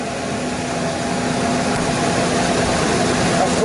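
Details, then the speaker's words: Ford Ranger previously misfiring from a missing pushrod, after repair and spark plug refitted: steady, even idle with smooth pulse and no stumbling, running with no miss, firing on all cylinders. "Well, she's running. She's running and there's no miss."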